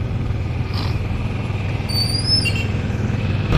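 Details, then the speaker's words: Yamaha NMAX scooter riding in traffic after replacing the primary driving gear and bearing: steady low hum, and the transmission noise that began around 20 km/h is gone; drive sounds smooth, normal running. "Bale ang pinalitan lang natin dito mga boss yung primary driving gear niya tsaka yung bearing. Yun lang yung pinalitan natin dito. All goods na. Wala na yung ingay."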